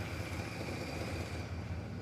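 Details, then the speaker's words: Newly started engine after a long starter battle: steady, even low rumble with no knocking or misses and no smoke; idles smoothly and healthy. "This sounds great. It's not knocking. It's not smoking."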